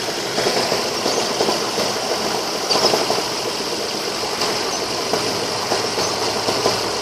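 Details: Ford Focus 2 with a 2.0 L 16V Duratec petrol engine (145 hp) at idle: loud irregular sharp knocking and tapping over a fairly quiet run; source not identified, engine knock at idle.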